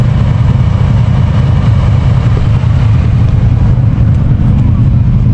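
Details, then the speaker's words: 6.0L V8 El Camino after racing at King of Hammers, either very hot or blown: loud, ragged, lumpy idle, dumping oil out the breather. Owner suspects it is on its way out; piston rings planned. "Well, it is absolutely dumping oil out the breather and down on the ground. And it was not running right."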